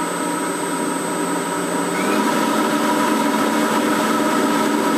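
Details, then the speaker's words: Shop dust collector panel-type blower on a VFD with an undersized motor, run at 60 Hz: an even, steady rush of air with faint VFD buzzing, about 70-something dB, the tone stepping up slightly as speed rises. Normal blower run. "That's how loud it is at 60 Hz. It's uh 70 something dB."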